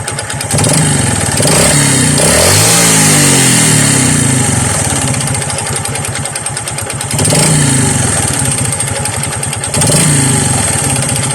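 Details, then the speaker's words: Honda XRM 125 single-cylinder engine, kick-started: a loud, choppy knocking rattle that thickens with each throttle blip. It was first suspected as connecting rod, piston slap or both, then confirmed as a connecting rod problem with a helicopter-like noise. "patingin ni Saan kay nangagaling tunog na yan Ito ba connecting rod o piston slap o nagsasama dalawang tunog o ingay na yan"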